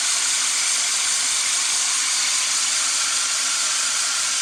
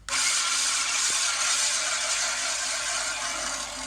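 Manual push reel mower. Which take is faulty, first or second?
first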